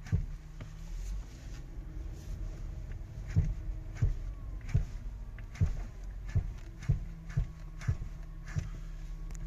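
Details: Audi Q5 front suspension: dull, irregular clunks, one or two a second, from worn lower control arms and ball joints.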